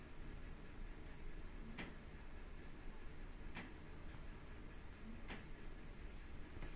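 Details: Abnormal periodic ticking from a PrintrBot Simple Metal desktop 3D printer a day after configuration: sharp mechanical ticks about every 1.7 seconds over a quiet, low hum.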